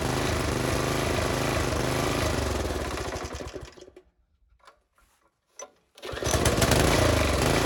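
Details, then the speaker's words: Briggs & Stratton single-cylinder engine on a Poulan Pro tiller after swapping to an aftermarket Chinese carburetor, with the idle screw adjusted: a quick, even beat that fades and picks back up cleanly. High idle is normal on these tillers. "some of you hear that and you say well that engine ain't running reeled up as high as it is well on these tillers they don't"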